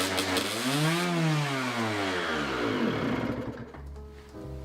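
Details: Honda CR250 two-stroke dirtbike revving very high at idle with no throttle; a broken reed petal is leaking air; high idle.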